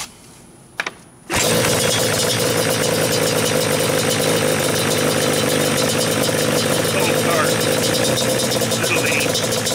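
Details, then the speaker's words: Yamaha Banshee two-stroke on stock carbs, already tuned: it fires after about a second and settles into a crisp, steady idle with no stumbles. Normal idle. "okay so she sounds good she's good to go"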